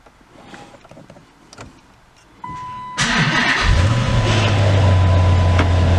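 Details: Dodge SRT8 Challenger V8 after 100k maintenance, started to pull it out of the shop. A short starter whirr, a quick catch, then a deep, even idle, a normal start.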